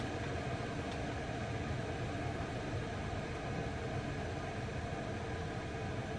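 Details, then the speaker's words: Chinese diesel heater (eBay) in a van, turned down to setting one: soft, steady low hum with no pump ticking heard; running quietly and normally on low. "it's quiet down a bit and you don't hear the ticking don't hear it at all"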